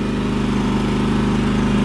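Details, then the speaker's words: Champion 3400-watt inverter generator after carburetor cleaning, running on auto-throttle: steady, even low drone with no misses, knocks or surging, no smoke; runs really nice, repair appears successful, normal idle. "at that sounds very good it doesn't smoke at all either right on looks like we fixed it"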